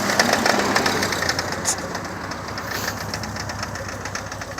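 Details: 2000 Saturn SL2 petrol engine, rough uneven idle with a stumbling, missing beat that dies when put in gear; plug wires and #1 spark plug replaced with slight improvement, cause unknown.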